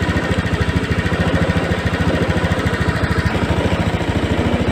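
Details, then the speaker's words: Scoopy fuel-injected scooter treated for sputtering, after fitting a new Vario 150 injector: steady, even putter at constant low idle with no misses; O2 reading now normal between 0.2 and 0.8 (previously 0.02–0.03), rpm back to standard. "dan kita cek untuk debit injectornya ini untuk rpm nya sudah standardize"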